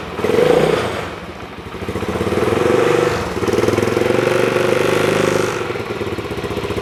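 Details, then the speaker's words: Kymco K-Pipe single after engine stripdown and rebuild, first start on choke with the baffle fitted: pulls up smoothly through several blips and settles each time, no knocks or rattles; runs fine. "don't know how well that's coming out on the mic, but that's a hell of a lot quieter with that baffle in it. Sounds absolutely fine."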